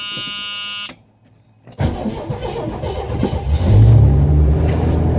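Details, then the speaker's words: 1976 Chevrolet Nova 4-door, true cold start after sitting overnight, a little gas: buzzer, pause, then engine cranks, catches quickly and settles to a steady rumbling idle; starts right up, healthy. "starts right up he's a mute she's legit"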